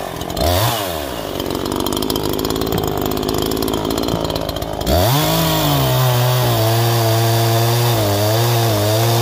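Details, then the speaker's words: New Neo-Tec NH843 chainsaw on its first tank, breaking in with factory carb settings: it bogs through a cut, then revs with a wavering, burbling four-stroke from an excessively rich high-speed jet. "I could tell it's got potential because of the four stroking you could hear it's going four stroking so bad it's excessively rich on the high jet but it's cutting"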